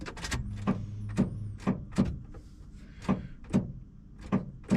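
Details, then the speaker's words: 1994 Ford F-350, key turned at start: sharp single clicks about twice a second with no cranking or firing; starter problem, usually starts after several key turns, first time this bad; cause not yet diagnosed. "That's the click. That's the other thing I gotta do is figure out what's going on with the starter, but separate video."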